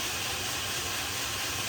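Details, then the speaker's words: Blackfox 2"x72" belt grinder, newly assembled, motor running in reverse to check the factory wiring; the belt tracked about 1/4 inch: a steady, even high hiss and whir with no knocks, surging or grinding; normal running. "For now, we'll just make sure the motor's running in reverse correctly so that we know that they've done their job at the factory wiring it."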